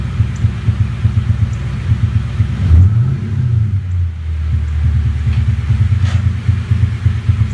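Deep V8 idle with an uneven, stumbling throb and dropped beats instead of a steady burble; a misfire at idle.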